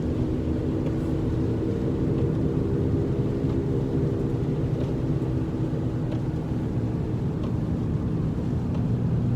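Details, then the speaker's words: Car driving in rain with a steady low droning growl under road noise, louder with speed and still heard when slowing; bad wheel bearing. "when a wheel bearing is bad that's what you hear one second it's ugly day today very rainy that's a that's the sound that's a bad grease bearing"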